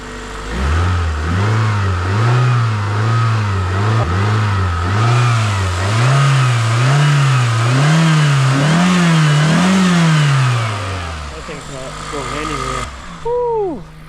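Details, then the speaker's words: 2003 Toyota Matrix XRS after replacing a badly damaged passenger-side engine mount (transmission mount done earlier) to cure idle vibration: engine blipped up and down about a dozen times, smooth even pitch, no shudder or clunk; no vibrations at all. "I love when things work out so well so as you can hear we are good there's no vibrations at all"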